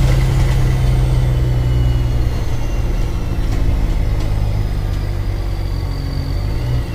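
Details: Mercedes-Benz O-500MA bus, VB Transportes no. 1562, diesel: deep, loud, uneven drone with a raw chuffing edge as exhaust escapes through a holed pipe.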